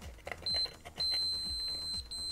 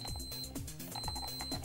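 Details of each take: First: KSGER T12 soldering station with unearthed metal case, continuity tester probing the scratched anodized underside: a sharp high beep, then steady as the probe cuts through the coating; there is continuity, so the case is an unprotected shock path. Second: KSGER T12 soldering station after the earth modification, tester from the IEC socket earth pin to the case and front screws: steady high beep through background music; continuity confirmed, case properly earthed and safe.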